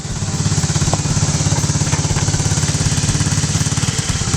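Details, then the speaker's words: 2016 TAO pit bike, carbureted single, idling with centrifugal clutch, choke tried, won't take any throttle: loud uneven putter about three and a half beats a second, barely idling; dirty carburetor suspected, carb pulled for cleaning. "Alright guys, well, we're going to pull this carburetor off because it's just not running after at any amount of throttle. We can only get it to idle just barely"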